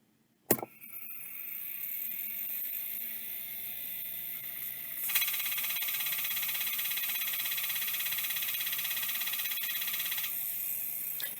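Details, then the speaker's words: Mailbag hard drive on a spin-up retry: a sharp click, then a high whirring hum that steps up and holds with a fast rattling tick. The drive keeps faulting on spin-up. "usually adjusting the end stop does not work did I mention that I don't think that worked"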